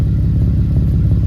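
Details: Camaro (392) after catalytic converter welding, with the exhaust pipe not yet back on: loud deep V8 idle with rapid low puffing chatter, exhaust escaping at a loose pipe joint that needs tightening.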